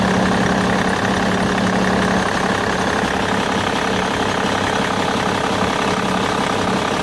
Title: Bmw e61 engine strange noise